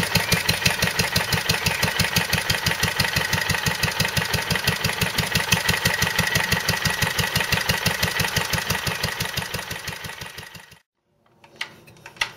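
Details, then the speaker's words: Wolseley WD2 single-cylinder engine after a de-coke, smoke now gone; steady thump about two beats per second with the odd uneven beat, an occasional misfire that is new, cause unknown; owner thinks it needs new rings. "But you see what I mean about it not running quite right, it's misfiring every now and then, which it never used to do."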